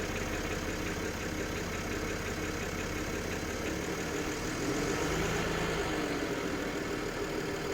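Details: BMW N53B30 cold start: after 20–30 s idle drops to 700 rpm and a light uneven clatter appears, roughly from oil pan or exhaust manifold area; fades with slightly higher rpm or after 8–10 min warm-up; oil pump replaced, rod bearings checked good; cause unconfirmed.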